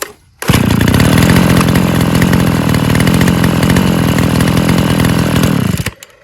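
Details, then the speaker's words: Old chainsaw two-stroke running smoothly after new crankshaft bearings and connecting-rod bearings. A steady, even buzz with no knock or misfire; the earlier loud noise and knocking are gone. "Der Motor läuft jetzt rund, und das laute Geräusch ist weg . Er klopft nicht mehr. Er dreht sich ganz ruhig."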